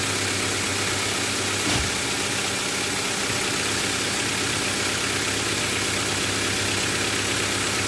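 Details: Honda Civic 1.4i after an oil and filter change: steady idle with an even, unchanging note and no knocking or ticking; the engine settles and runs cleanly.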